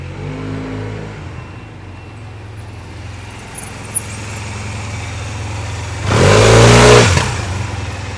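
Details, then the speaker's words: Honda Silver Wing 600 scooter at 3,895 miles with new belt, after clutch teardown: quiet idle, then a clean rev around six seconds rising smoothly without squeal or chatter; squeal gone, apparently clutch pads. "all right well it looks like the squeal is gone so apparently that what that's what it was"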